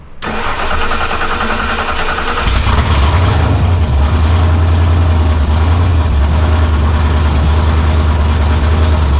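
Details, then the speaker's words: 1987 Saleen Mustang 347 V8, no transmission or clutch, after zero-balancing with neutral flywheel to cure shaking; starter spin then even steady low idle, a little shake from sitting only on motor mounts but much better than before. "That's the best it's been so far. It's going to have a little shake cuz the motor is going to shake some."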